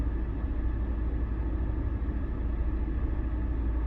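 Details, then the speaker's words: 2011 Audi TT Quattro 2.0T TFSI after engine damage repair, idling after first test drive at up to 80 mph; low even rumble with no knocks, misses or ticks, dead smooth; owner suspects spark blowout for lost top-end power; normal idle. "and it's just smooth, which is what you obviously want. So I'm thrilled, guys."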